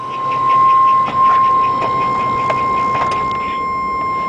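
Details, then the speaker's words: 2001 Chevy 3500 box truck, Vortec 5.7 V8, about 290,000 mostly highway miles, at idle: thin steady high-pitched squeal from a slipping drive belt, which goes away when revved; belt squeal, not a tap. "you can hear the belt tapping not a tap it's a belt sque squealing a little bit"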